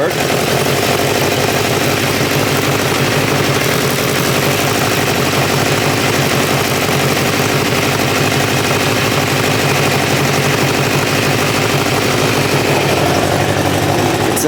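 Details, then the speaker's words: 1986 Kawasaki Ninja 600R with a coolant leak, idling as it comes up to temperature: steady, busy idle with an even, fast patter and no missing beats, knocks or hunting. It runs nicely. "No running problem. It's actually seems to run pretty nice."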